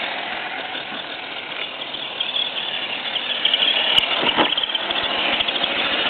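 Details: FTX Kanyon RC truck after swapping the stock 60T motor for a 35T with smaller pinion, correct gear mesh, freshly greased gearbox: a high, thin shriek over the motor whir at low revs, growing as it slows; cause unknown.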